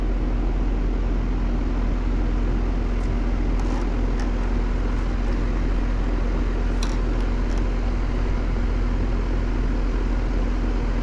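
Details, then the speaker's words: Goodman R-410A AC condenser, about 12 years old (serial suggests 2010), no cooling with house at 87°F set to 67: compressor gives a loud steady low electrical hum, never starts running, stuck compressor with locked rotor; whip also needs replacing. "pulling lock rotor I'm not sure has even worked to own out that compressor I don't think it is so we got us a stuck compressor"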